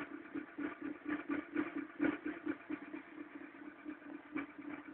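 Cold idle carries a steady light clatter, roughly two ticks a second and slightly uneven, over a thin engine note; the cause is not clear.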